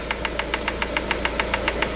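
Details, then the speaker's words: Lada Granta at cold idle, timing belt cover and lower engine mount removed, hydraulic lifters earlier suspected: sharp light ticking about seven times a second from a loose camshaft position sensor striking the timing gear: loose camshaft position sensor knocking. "вот здесь вот стоит датчик положения распредвала и вот вот он друзья и стучит об шестерню"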